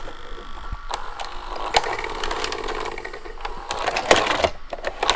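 Irregular clicks and sharp clacks over a light mechanical whirr as the transport works; the tape mechanism is noisy, cause unclear.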